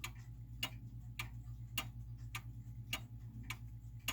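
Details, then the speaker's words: German time/strike wall clock, set in beat: crisp ticks about every half second, tick and tock evenly spaced over a faint low hum. "so a clock in beat means that it's an even spacing between the tick and the talk right so that's pretty even"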